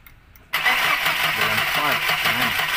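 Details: Mercedes-Benz Elegance that won't start: the starter engages and the engine spins over steadily with a whirring crank but never catches; crank, no start, cause not confirmed.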